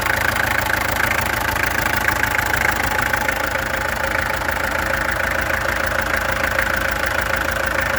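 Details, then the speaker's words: Peugeot XD2 diesel at idle, before the injectors were removed, tested and adjusted: steady clatter with a repeating uneven pulse near three per second. Rough idle; owner suspects a misfire. "This thing has a misfire, I think. That's why I ended last time."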